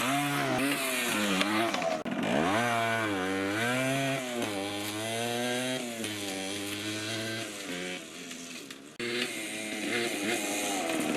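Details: 1980 Yamaha GT80 two-stroke mini bike after carb and gas tank cleaning, riding: crisp ringing buzz climbing and falling cleanly with throttle, no stumbles or bogging; normal running.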